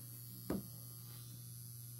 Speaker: if you guys hear that buzzing sound then it's my light she listened I don't know why but it always does that it's like buzzing hear it I